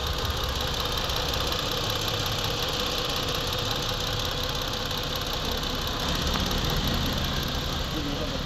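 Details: Ford Explorer 3.5 V6, first start after a top overhaul and water pump work following overheating: a steady, even idle with a smooth hum and no knocks or ticks; it runs quietly with no problem, and no white residue shows under the valve cover.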